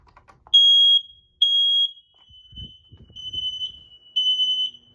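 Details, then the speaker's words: Master bedroom Fire X smoke detector, test button pressed; loud, piercing high beeps in short bursts with a brief spoken "Fire" announcement between; normal alarm test. "Fire. That's the best I could do for a test of this detector."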